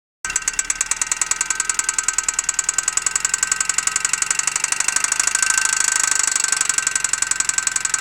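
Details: Opel Zafira A OPC: fast, even light mechanical ticking from the top end rides over the idle and stays steady, source not pinned down; engine ticking.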